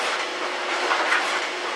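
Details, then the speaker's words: 14-year-old GE electric dryer, model PVXR353EB0WW, reassembled after a horrendous noise, running the same jeans that caused it: steady airy tumbling rush with no banging or thumps, drum turning smoothly; normal dryer running. "suffice it to say it's all back together and it's working again"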